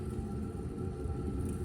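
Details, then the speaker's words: RV hot water heater being filled with fresh water after replacing the pressure relief valve and drain plug, as a leak check; steady, even low rumble of water; the tank is filling normally, though the plug later seeps slightly. "Yes, this is exactly what I was hoping for. I can hear, and I imagine you can hear, the tank filling."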